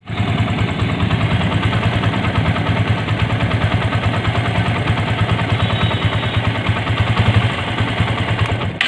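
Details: TVS Apache motorcycle after the engine was reworked to cure an engine noise: a steady single-cylinder thump at idle with an even beat and no ticking or knocking. The noise is gone and it runs normally.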